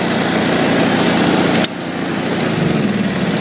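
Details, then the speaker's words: Zanotti 1400 TRU with direct-drive power pack (full-size compressor, no generator): unit switch on, alternator excite circuit charging the battery, small engine chugging, note deepening as compressor kicks in and holding steady under load; normal running. "Once everything comes on, you'll hear the load on the engine again."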